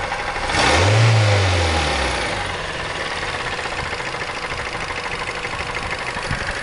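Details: Mazda 3 engine heavy regular knock at idle, harsher when revved; cause found: broken piston in cylinder four with sunken cylinder liner after a poor overhaul, other cylinders compression about 13.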